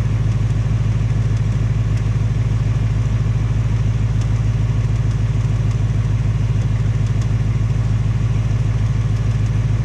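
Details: 2018 Ford Mustang GT on its second engine, only 1200 miles, smooth low idle with a regular light tap about two hundred a minute; suspected internal tick, possibly piston slap or Coyote tick, unconfirmed; Ford fitting a third short block.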